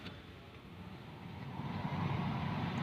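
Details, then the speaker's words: Hyundai i10 AC cabin blower fan after removing the motor and clearing two leaves lodged inside: steady, even airy blower rush with no intermittent ticking or rattle; the earlier intermittent noise is gone, normal fan sound. "ഫാനിൻ്റെ sound മാത്രമേ നമുക്ക് കേൾക്കാനായിട്ട് സാധിക്കുള്ളൂ."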